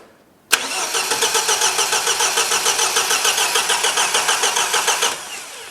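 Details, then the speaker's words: 1977 MGB after years off the road, with fuel, spark, good compression and old carbs refitted; steady starter cranking about three and a half beats a second, one brief catch near the end, then dies; first cough. "it coughed that's the first time it's done that let's try again"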